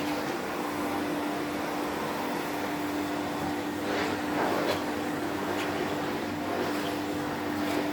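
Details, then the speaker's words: 1972 Electrolux Z310 cylinder vacuum after cleaning very dirty fans and greasing bearings, formerly very noisy: quiet steady hum with faint constant tone and soft airflow rush, no rattles or grinding; normal running. "See how quiet it is. Let's bring you over here. Right, we'll turn it off and you can hear the quiet wind down. That is lovely."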